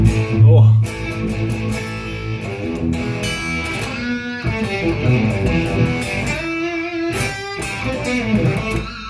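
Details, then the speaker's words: Carvin MTS 3200 100-watt tube amp, lead channel, humbucker, drive at midday, volume at four: thin, buzzy, scratchy fuzz with no volume or punch; fault in drive channel circuit. "oh wow okay um i don't know how to describe that other than sounds like a really sick fuzz"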